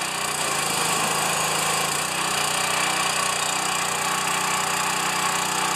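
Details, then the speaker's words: Pressure washer, first start since last year, small connector leak, unloader working: steady, even buzzy drone at constant speed with no knocks or surging; runs well, normal running. "come with me that's good the pressure washer runs good"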